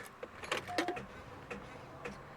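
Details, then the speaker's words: Cadillac V8 with dead battery (1.097 V) at about -4°F, JF.EGWO 6000A jump starter frozen two weeks, no preheat: about six sharp, irregular clicks in under three seconds with no cranking; the frozen pack can't deliver enough current. "Let's see if the 6000 peak amp Jf.Egwo will start the Cadillac. I'm just going by the temperature recommendations that are on each jump starter. Okay, here we go. Go. Oh, you're clicking. Oh, I hear a lot of clicking."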